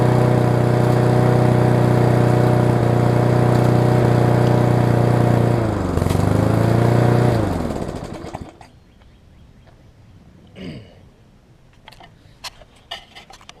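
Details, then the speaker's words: Yard Machines push mower with an engine dated around February 1999, traded in with a bent-back auto-throttle: it runs steady for a few seconds, then stumbles, sags and dies, possibly from too much gas. Symptoms of a bad carb diaphragm; diaphragm and air filter to be replaced. "it sounds like it needs a carb diaphragm which shall probably put one in it"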